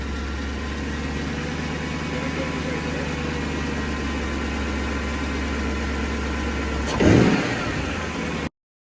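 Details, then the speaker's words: Jaguar XKR X150 V8 cold start after sitting a couple of days: light rhythmic tick-tock knocking over idle, gone when warm; owner wonders about belt jump, unconfirmed. "okay so when I start the car up cold a strange um tick tocking sound comes from the engine allow me to demonstrate"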